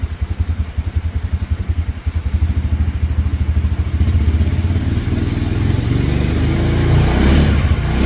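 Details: 2017 Polaris Ranger 570 EFI, single cylinder, no codes, air filter, plug and coil ruled out; uneven putter at low idle with wandering pulses, then speed creeps and surges up near 950; owner suspects failing fuel pump.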